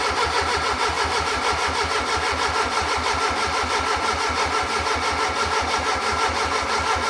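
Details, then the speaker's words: Fiat Punto GT Turbo cranking with spark, working injectors and a newly fitted fuel pump, after a popped-off fuel connector leak. The starter churns steadily for several seconds but the engine never catches. "So, after many attempts, I was getting a little bit uh worried that it wouldn't start. It was like it was firing on one or tw"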